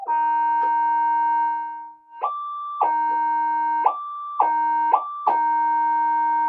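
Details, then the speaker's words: Minelab GP-3000 metal detector under repair, back in mono mode with an oscilloscope on the suspect channel: a steady tone jumps cleanly and repeatably higher as heavy metal and a screwdriver cross the coil, the normal target response. Sensitive mode still gives no audio. "Okay, it's doing exactly what it's meant to do."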